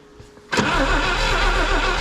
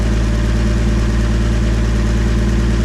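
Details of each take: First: 1962 AMC Rambler wagon left for decades, primed, key on: starter spins it in a steady rhythmic churn but it never catches. No spark at the points; working them by hand gives spark, so they need sanding. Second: 1962 AMC Rambler wagon engine, forgotten over 50 years, run after priming oil: steady even low idle, smooth unbroken rumble, no knocks or rattles, no smoke; normal idle.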